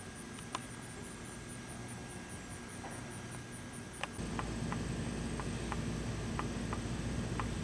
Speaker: You also might be able to hear that knocking sound. That's from the tape compartment. I think it may just be a design flaw.